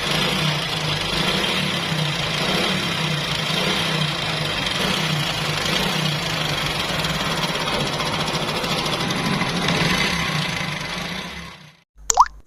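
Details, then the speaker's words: Honda CD 70 motorcycle at idle: fast, loose metallic chatter over the beat, about three ticks a second; loud timing chain rattle that persisted despite prior timing work, per the customer. "जैसे की अभी आपने सुनी के इस bike के timing चैन की काफी ज्यादा आवाज़ थी"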